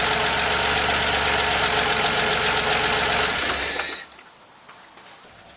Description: 1983 911 SC with stock 3.0 motor. Please tell me this is not a rod knock...